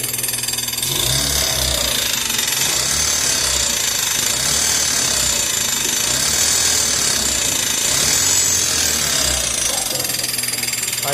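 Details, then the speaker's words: Chevrolet Corsa Classic (possibly Classic/CLC), idling after a jump start: a harsh, fast metallic rattle and high hiss at about four beats a second, with the battery warning light constantly on. Faulty, noisy alternator. "seguinte tá acontecendo esse barulho e tem a luz da bateria ó ela tá acesa direto tá vendo ó não apaga"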